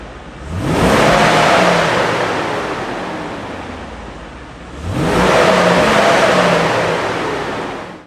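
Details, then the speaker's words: W210 Mercedes-Benz E55 AMG under acceleration: two strong revs, each a rising whoosh of clutch (viscous) fan roar that swells with engine speed and fades; normal for this car, which lacks an electric fan, over a very quiet engine. "oh you can hear that clutch fan that's pretty much all you hear they really need an electric fan that's for sure"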